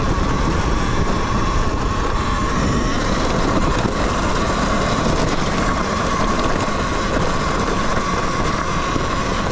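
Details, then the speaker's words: Talaria Sting electric dirt bike climbing a steep trail after battery compartment mod stopped the battery banging: only a soft even motor hum under wind and terrain noise, no banging or rattling; normal quiet running. "oh my god it's so so quiet"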